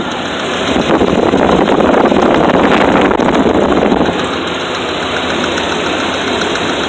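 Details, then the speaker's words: Truck idling unevenly with a loose, irregular ticking pulse about four per second and a stumbling beat; low power, needing half pedal. Misfire found: spark plug boots came off, so one cylinder is not firing. "it ain't fired on one of my cylinders okay Wow any spark plug boots came off one two three God dang three no wonder it was running low home power"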